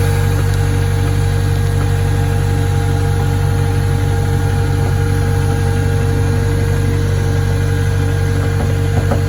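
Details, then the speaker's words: Acura (Honda) stationary at idle before a power steering fluid flush. It is silent until the wheel is turned, then a constant thin whine rides over the engine and steering becomes hard left and right. Power steering pump whine. "okay so it fires up no sound at all you turn the wheel start hearing already and it becomes pretty hard to steer left and right I mean we're not moving but uh still it's hard"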